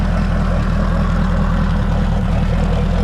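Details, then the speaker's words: Mercury 200hp V8 Pro XS outboard on water muffs in neutral after 100-hour service oil and filter change, running a minute to circulate new oil: steady even low rumble, smooth beat, no knocks or misses; idling cleanly. "we're just gonna let this sit and run for a minute"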